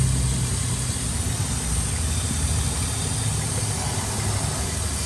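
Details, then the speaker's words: 2002 Ford Explorer, engine warmed up to about 180 degrees, idling with codes P0171 and P0174 and high fuel trims on both banks: constant airy hiss near the back of the engine from a cracked, deteriorated vacuum line, possibly the purge valve line. "this Line's got a hole in it right here so I just pinched it closed because this thing is so deteriorated I can actually pinch it closed and it just stays closed"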